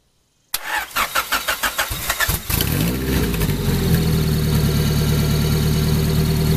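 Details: 1994 Honda Prelude with an F20B engine, started after the idle air control valve was replaced to cure an idle that rose and fell. The starter cranks about two seconds, then the engine catches and settles into a smooth, even idle.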